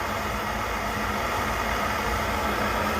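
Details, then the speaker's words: Coleman 530 G.I. A46 pocket stove after teardown, cleaning and reassembly, flame adjustable toward simmer with cleaning rod: steady, even roar with no sputter or surging; stove burning cleanly and working. "so i guess you could use your cleaning rod to uh create a simmer so there you go this thing up and running"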